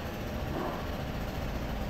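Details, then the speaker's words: Toyota Rush 2020, earlier misfiring and shaking with a knock from inside the engine, coil and compression tested fine: after repair, a soft, steady low idle with no misses, shakes or tapping; engine healthy. "ah pino na yung andar Wala na siyang Ah wala na siyang mpire pakinggan natin tambot to sa likod yan taik na taik"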